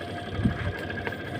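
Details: Samsung twin-tub washer, spin tub previously not working, after replacing the part and refitting the brake: low, steady spin motor hum with faint constant whine, no scraping or knocking; spinning normally.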